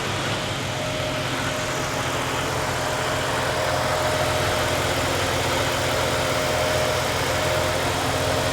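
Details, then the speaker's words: Chevy OBS crew cab LS V8 on first start after a new accessory drive, alternator and ProCharger parts were fitted, with power steering bled and radiator filled. Steady, smooth idle with no squeals, ticking or leaks. "Sounds good. No squeals. Don't see any leaks. All right, it runs smooth."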